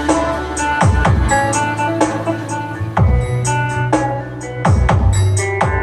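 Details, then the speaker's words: Sakura AV-5023 amplifier after replacing the 4558 op-amp IC in the control section; it had cut out for 5–10 seconds and returned distorted: loud music with punchy bass and crisp highs, no crackle or distortion, output clean. "Mga boss. So okay na to. Bale naging problema lang nitong amplifier na to yung kanyang mismong IC na 4558 dito sa kanyang control."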